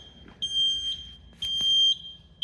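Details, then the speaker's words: Taylor C723 soft serve machine sounds a high steady beep alarm reading hopper over short after a hopper thermistor sensor ribbon was pulled, during thermistor probe replacement. "Okay. Hopper over short. So, it doesn't like that obviously"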